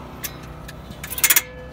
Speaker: You hear the ratcheting sound. The ratcheting sound is because this is a spring-loaded coil.